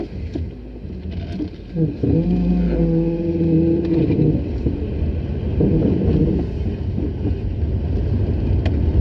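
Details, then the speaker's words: Mercedes-Benz 190E on test drive, mic in glove box: steady low moaning squeal over road rumble, origin unknown. "I'm not getting that squealing from the prop shaft anymore, but that's a kind of a rubbing sound, which I'm not sure what it is."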